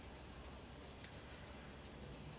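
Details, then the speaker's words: HP Pavilion Media Center M376 PC, about 2003, failing to boot to a black screen: faint, light clicks about four a second over a fan hum. WD hard drive click of death; tapping the drive failed. "I think it's trying to read right but it's not working"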